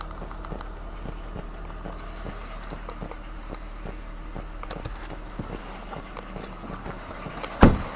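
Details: Car after replacing the ignition coil on misfiring cylinder 5, codes cleared: quiet, low, even idle with soft steady ticking and no stumble. The engine now runs normally.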